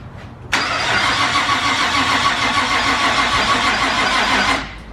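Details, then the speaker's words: Nissan R34 with a new exhaust, a modified T51R turbo and larger injectors: the starter grinds lazily and unevenly for about four seconds without catching; slow cranking and a hard start, suspected to be from running too rich on the bigger injectors. "Didn't sound like it cranked very good. Probably gonna be. These injectors are fair bit bigger than the old ones, so it's probably running a bit too rich."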